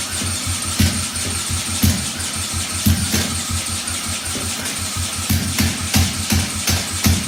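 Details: 1968 Honda CL175 with supercharged EFI on E85, started by drill: lumpy, uneven idle with a hard pop about once a second; only the left cylinder fires, right plug sparks but is bone dry from a stuck-closed injector.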